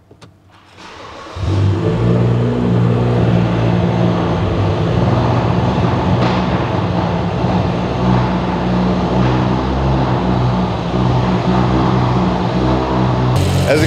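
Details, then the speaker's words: 2011 BMW F10 535i, N55 engine, straight pipes, from auction: starts into loud, lumpy, constantly stumbling idle from a severe, obscure misfire that stumped others. "it's running really rough so this car is unusually loud because it has straight pipes that's not the main issue"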